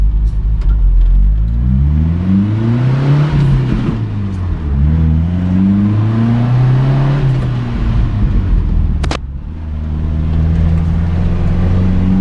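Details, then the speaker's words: Toyota Dyna truck with a 2-litre petrol engine, revving on the road. Sharp popping and banging out of the exhaust on acceleration; the owner is unsure whether it is air in the exhaust, a burnt valve or ignition. "got a pretty nasty uh popping banging out the back on the acceleration i'm not sure whether that's just a a bit of air getting into the exhaust and giving it a pop or whether that's that something majorly wrong or burnt valve"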